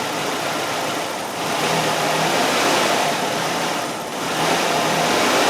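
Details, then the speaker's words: Nissan Sentra with P0400 EGR code, EGR valve commanded open at idle while watching sensor voltage drop from about 3.1 V: uneven, lumpy idle with slow surging swells, running rough from exhaust gas let back in. "so now we're gonna open up the valve and we should see our voltage start to drop an engine should start running really crappy"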